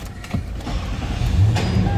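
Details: Toyota Land Cruiser after the push-button no-start repair, green light now on with brake pressed: engine catches and settles into a low, even rumble with no clicking or stumbling. It now starts from the button and runs normally.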